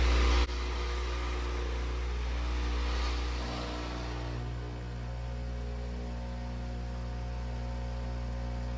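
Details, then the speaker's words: Whirlpool Duet washer on a rinse, drain and spin cycle. A loud, steady low hum with a buzzing rattle about four times per second shakes the hose; the drain pump is the suspected cause, and the washer had been shutting down. "Okay, we're just going to do a rinse, drain, spin. We can hear that vibration I'm talking about. Pretty loud, isn't it?"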